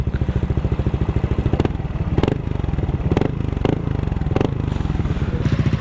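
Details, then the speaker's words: Replica Pro motorcycle exhaust pipe two years on, after fixing a faulty screen that caused a tinny rattle (tightening the crankcase screw had not helped): even, crisp single-cylinder popping at a steady beat, no tinny rattle, no longer sounds like a tin can; normal. "So again, ito yung tunog niya ngayon kumpara kanina. Ayan siya ngayon. Hindi na siya tunog lata uli."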